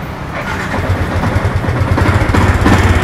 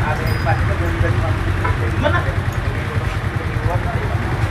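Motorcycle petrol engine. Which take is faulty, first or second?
first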